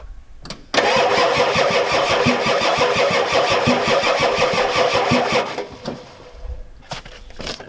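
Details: Ford F-250 XLT 7.3L IDI diesel with new injectors, glow plugs on: starter spins about three even beats a second for nearly five seconds, never fires; owner suspects weak injection pump not feeding injectors.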